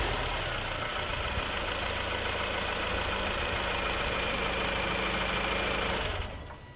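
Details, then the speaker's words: 2004 Nissan Pulsar N16 QG18DE, 120,000 km, running after head gasket replacement (gasket burnt between cylinders 1 and 2 caused rough idle and misfire); steady even engine note for about six seconds with no misses or knocking before cutting off. "Clean this up and then we'll throw it all back together. And this is how smooth it should be."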